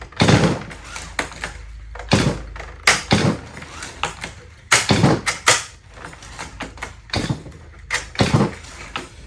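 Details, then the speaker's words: Stihl MS180 E-Z start recoil starter, meant to engage the flywheel via a second spring coil on an easy pull. Several pulls give short rattling bursts and thunks with no catch or turnover; still slipping, so it will be taken apart. "Still think we're slipping by. So, I'm gonna pull it back apart and take a look."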